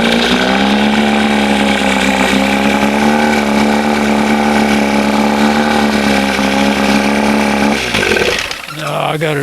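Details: 1971 Johnson 20 hp two-stroke outboard after carburetor linkage swap, throttle set between the two marks; fast steady buzz never settling to slow idle then dropping away, lots of smoke, old fuel suspected; high idle, throttle plate open too far.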